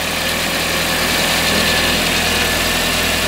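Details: VW Passat B5 after coolant was topped up and air was in the system: steady, even idle with a soft low hum under a lot of hiss, no stumble or misfire; runs cleanly: normal idle.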